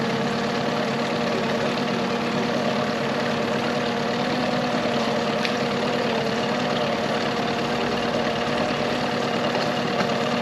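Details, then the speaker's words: 2001 Yamaha 15hp four-stroke short-shaft outboard, sat in a barn over 5 years, after full service, back in the test tank: starts almost first pull, steady even idle with smooth unbroken beat, no knocks or misses; running healthy. "So it starts up really nicely. It's like the first pull almost every time I've run this engine."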